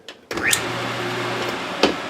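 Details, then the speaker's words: 30-year-old Maytag WU482 dishwasher motor, run with belt off before fitting lubricated belt: click at switch-on, then steady low even electric hum, no grinding or rattle; motor runs normally. "motor for being 30 years old is uh sounds pretty good but I'll lubricated the pump bearing and then you just lubricate the belt"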